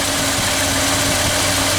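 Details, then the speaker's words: 1976 Ford F-250 390 V8 idling after Holley 6947 carburetor rebuild and mechanical fuel pump replacement, mixture screws being adjusted by vacuum gauge: steady even idle, no misses or hunting; normal idle. "there should be good so we're gonna go check our other side and as you can hear this 390 is coming along perfectly"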